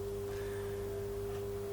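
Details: Vintage Oxford RT110 MMA stick welder, after sitting about 10 years and getting wet, rusty inside, idling between test welds: quiet, steady hum with a clean pure tone, no buzzing or crackle; healthy.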